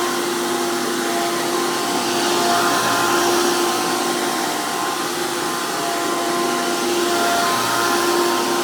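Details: 2002 Hoover PowerMax II U5246-940 Elite upright vacuum with 12 amp motor and 20-blade fan impeller, after motor work: loud, steady high-pitched roar with even fan whine, no surging or rattles; strong, normal healthy motor.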